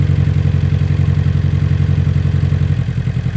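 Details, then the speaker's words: Abarth 500/595/695 with a misfire during a coil-pack unplug test: a lumpy, heavily pulsing idle of about four thuds a second; unplugging cylinder three brings no change, so that cylinder is not firing. "Three. There's no change there. So, there was no change on cylinder three. So, we know there is an issue with this cylinder"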